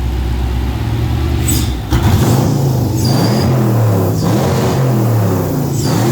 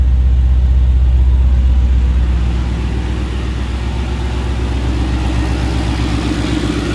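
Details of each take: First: Ford Capri with swapped Mercedes M113 5.0 V8, first runs, top-end noise quieting (possibly hydraulic lifters), deliberate exhaust leaks: deep rumble with a ragged, stumbling pull when blipped, no smoke or misfires; stutters because the fuel table isn't tuned yet. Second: Ford Capri with a swapped Mercedes M113 5.0 V8: a deep, even, smooth idle with no top-end ticking. A loud top-end noise at first start, possibly hydraulic lifters, quieted after about five minutes of running and revving; an exhaust leak comes from unsealed pipes behind a shield.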